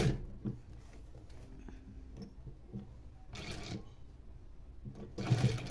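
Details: New servo motor on sewing machine, set around 2000 stitches per minute: quiet low even hum with soft stitching patter, no knocking or grinding; normal running.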